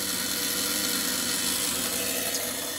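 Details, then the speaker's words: 1925 Ford Model T, engine stopped and hot from driving, ignition switched to battery: steady high-pitched buzz of the trembler coil boxes under the dash, energised and ready, which is normal. "So we turn it to battery. And you can hear the coil boxes buzzing underneath the dash. They're in that box there."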